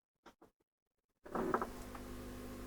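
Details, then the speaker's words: Hacker Mayflower 2 valve radio slowly powered up from a current-limited supply, around 80–100 mA, dial bulb lit but valves not yet glowing: a few soft knocks, then a steady low mains hum with a faint buzz. "I've got it the wrong way round really, but I wanted to keep it this way so you could see the valves. Oh, it's humming."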